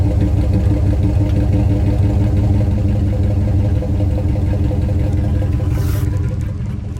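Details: 2003 Dodge Ram long box with the muffler cut off by angle grinder: loud, deep, open rumble at steady idle with no muffling. Exhaust runs straight.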